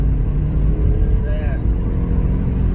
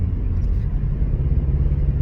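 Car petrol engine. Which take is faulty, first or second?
second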